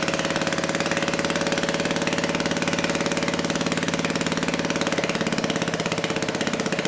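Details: Old BSA 220cc single-cylinder stationary engine running after repair and first electric start: steady firing with a crisp, even beat and no misfires; runs cleanly, normal.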